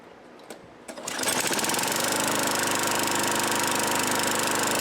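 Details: Craftsman Eager 1 push mower, model 917.383241, salvaged from the trash. Only the hardware was tightened and a new air filter assembly fitted; it has an E3 plug and a working primer bulb. After a few pulls it catches and holds a fast, even putter with no misses.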